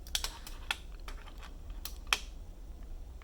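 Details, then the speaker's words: Keyboard spacebar (magnetically stabilized, on numpad) makes sharp clacks with a small extra click on one side, where the stabilizer clip was cut too short and sits too high, unlike the other side. "So that's why this side makes that little clicking sound, but the other side doesn"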